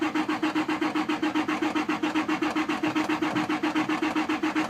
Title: Crank and pump in work boots. No start